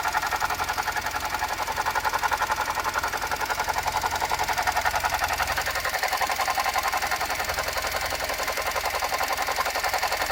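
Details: Suzuki Jimny JB64 at idle: sharp, even ticking about 220 per minute in the upper range, from a faulty alternator, replaced under warranty with a new alternator.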